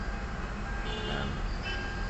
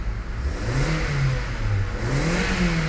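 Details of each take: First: Kia Soul gasoline engine hard starting after sitting for hours, blamed on the fuel pump letting fuel drain back: long steady cranking drone before it fires; hard start from fuel drain-back. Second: Kia Soul gasoline engine after fuel pump replacement fixed hard starting (previously 8–10 s cranking): revs rise and fall smoothly with no hesitation; RPM back to normal.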